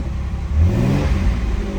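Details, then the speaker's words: 1987 Pontiac Fiero GT V6, slight hop in the oil pressure gauge: quick, smooth rev blip settling back cleanly with no knock or rattle; nice responsive tach. "Nice responsive tack."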